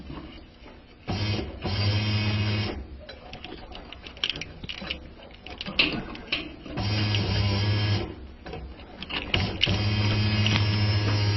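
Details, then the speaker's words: Isuzu Rodeo with newly replaced fuel pump, microphone held near the pump: low electric buzz cuts in and out in bursts of a second or so; intermittent pump operation from an open in the pump feed wiring. "I'm hoping that you're hearing that fuel pump just did it without me touching it let me put the microphone on that just to let you hear it better"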